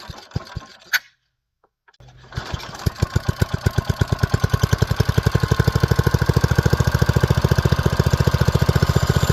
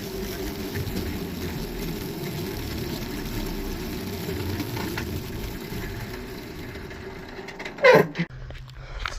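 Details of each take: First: Old Brister's F1 265E go-kart single-cylinder engine, primed, no air filter, compression release cam makes it hard to start and prone to kickback: after a pull it fires right off and settles into a steady, even beat with no misses; running really good. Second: Go-kart with an F1 265 E engine, first ride after new parts: steady small-engine drone for about eight seconds, then one sharp clunk and the engine dies; sudden mechanical clunk and shutdown, something failed inside.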